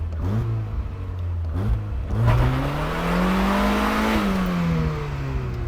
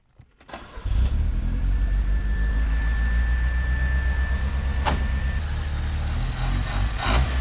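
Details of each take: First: 1976 turbo Fiat sports car after 15 years sitting, drive shaft rattle fixed: engine climbs smoothly to a strong clean rev and settles, no knocks or misses — healthy normal acceleration. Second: Old Italian sports car at startup: cranks, catches, then uneven lumpy wavering idle that stumbles, and tends to die once warm; vacuum leak at cold start solenoid causes rough idle.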